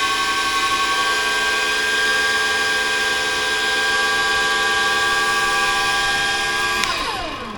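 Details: Free flood-damaged scissor lift (EWP), possibly a Townsville flood victim, rigged for remote control: steady high-pitched electric whine from the 24 V hydraulic pump for about seven seconds, then winding down. The lift goes up and down but won't drive forward or back; owner suspects the pump, maybe steering, unconfirmed.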